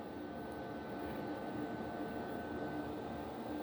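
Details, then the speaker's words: Pyrolysis boiler on first firing after repair, warmed up and burning trash and wood waste: quiet steady roar with faint constant fan hum; burning evenly as it should. "чути навіть як він гуде"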